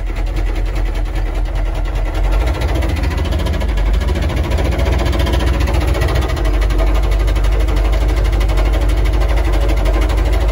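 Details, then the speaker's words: Military HUMVEE diesel plowing snow, knocking very hard with apparently no oil pressure; deep, hard pounding knock through idle, consistent with rod knock. "oh this thing's knocking hella hard there's like no oil pressure and so we're just plowing snow with this truck it's crazy dude"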